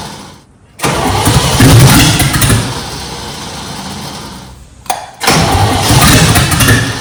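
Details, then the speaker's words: Junkyard-rescued 1969 Chevy C10 small-block V8. Two long, laboured cranking bursts with an uneven churning rhythm and no clean catch; the starter drags while turning the engine. The owner suspects the distributor cap and rotor. "This starter is just horrible."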